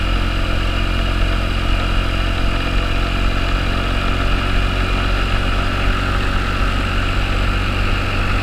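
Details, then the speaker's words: 2009 Honda Metropolitan scooter after fuel system and carburetor repairs, with the plunger sanded and lubricated with silicone. Steady, even low drone with no stumbling, popping or surging: normal running. "Now you sound pretty good. I think we should take it out for a test drive."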